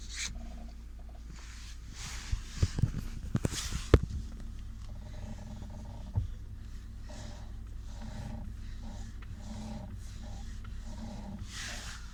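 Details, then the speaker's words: 2021 Lada Vesta in rainy weather, newer vulcanized anti-roll bar bushings: short rubbery squeaks repeat about every second as the body moves; stabilizer bar bushings squeaking again despite the claimed fix. "Втулки скрипят, ребят. Не знаю, они там вроде как новый вариант, вулканизированные. Но у нас сейчас погода дождик. И реально втулочки-то опять скрипят."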